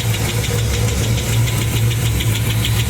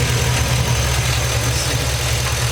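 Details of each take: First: LS-swapped Chevrolet Caprice with 4.8 V8 from 2007 Silverado Classic, idling: sharp steady metallic tick about twice a second over even rumble; cause found to be one bad lifter of 16. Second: LS-swapped 1989 Chevrolet Caprice with 4.8 L from 2007 Silverado Classic, a few thousand miles after replacing one ticking lifter: even, steady idle with smooth low rumble and no top-end tick; normal valve train noise, normal idle.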